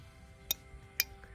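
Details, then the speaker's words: Miele Incognito G8000-series dishwasher with F08/intake-drain error, heater/pressure switch contact pressed by hand: two sharp, crisp clicks half a second apart over near silence; switch snaps over cleanly. "here's the bottom of the contact when it push I don't know if you guys can see this it clicks you can even hear"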